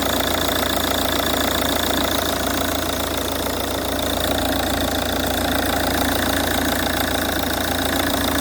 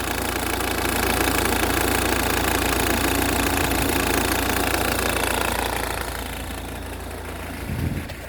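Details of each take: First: Ford Kuga Mk1 AWD 2.0 TDCi diesel (replacement engine) after auxiliary drive belt replacement: steady, even diesel idle with a smooth regular beat and no clatter from the belt side; normal idle, rattle cured. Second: Ford Kuga MK1 AWD 2.0 TDCi (replacement engine) at idle: rapid regular clatter about four a second over the diesel note, vanishing with a little rev; auxiliary belt clatter, fixed by a new belt.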